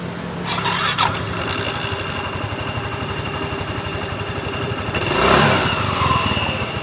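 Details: Yamaha Mio M3 scooter, which screamed on throttle, after fitting new pulley roller set: catches, settles to an even idle, then one clean rev near five seconds with no slipping or rattle; drive sounds healthy.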